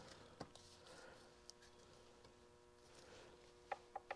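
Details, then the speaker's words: 1929 John Deere GP governor/fan shaft bevel gears with heels aligned, rocked back and forth by hand. A few light, crisp ticks with slight free play; backlash is correct, not too tight and not too loose. "should be just enough to make that little tick just back and forth movement not too tight not too loose"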